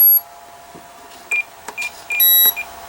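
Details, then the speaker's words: Komet foam RC plane, bound to its transmitter, on a charged 4S battery with a throttle cutoff switch: the speed controller gives four short high beeps in a repeating pattern with no motor spin-up and no throttle response; ESC beep code. "I'm getting 4 beeps. Oh, you can hear it. But no response from throttle."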